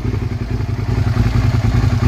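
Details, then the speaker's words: Motorcycle, likely a 2003 model, after ignition switch and starter relay replacement, with the clutch-lever kill switch bridged: steady, even low putter at idle with no misses or knocks; the fault was the kill switch, now a normal idle. "it's a kill switch problem man does that sound good yeah buddy oh I'm so happy about that something as simple as a kill switch causing me all that grief"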